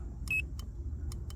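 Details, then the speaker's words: 2016 Subaru Outback key stuck in ignition: continuity test on the shifter park micro switch green wires gives one brief meter beep, then dry clicks with no tone, showing intermittent contact. "But you see how sometimes it doesn't work. All right. Like right there, it didn't work."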